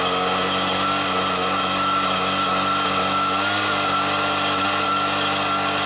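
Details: Stihl BR86c leaf blower two-stroke engine after a bottom-end rebuild with new crank bearings and a cleaned carburetor, at first start: a steady, high, buzzy note with even pitch and no stumbles or surging; running cleanly.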